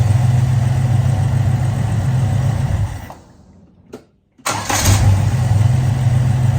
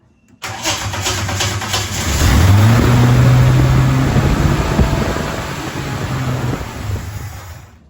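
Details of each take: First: HZ Kingswood wagon 202 six, Trimatic, extractors, points ignition, 324,000 on odometer, after installing a new eBay carburettor and fresh fuel, warm after nearly an hour: shuts off, fires straight back up, smooth idle, all cylinders firing. Normal warm restart and idle. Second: Holden HZ Kingswood wagon, 202 six, Trimatic, extractors, points ignition, reconditioned replacement carburettor on choke, very old petrol: catches after cranking, revs, then uneven idle that sags; idled a minute and died, still rough, cause under investigation.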